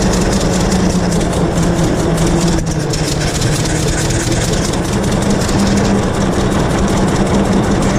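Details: 1926 Hart-Parr 16-30 tractor, first run in over a decade after six months of work; chugging along steadily with a low, even beat and no knocks or misses, running healthy.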